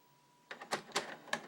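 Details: First-generation PS3 slim from 2009 with failing laser, new clean disc inserted: sharp uneven ticks and clunks from the drive, then quiet; disc not read and ejected.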